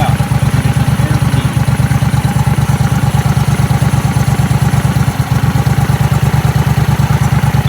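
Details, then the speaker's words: Briggs & Stratton Vanguard V-twin dual-carb mud boat motor, rebuilt after flat cam, cylinder 2 mixture screw being adjusted, AFR sitting in the 12s: steady loping idle with even pulses, no stumble or misfire; rich idle, a little fat. "happy dabbling in the 12s that is a little fat like i said if you're messing with these dual carbs they're a little fat"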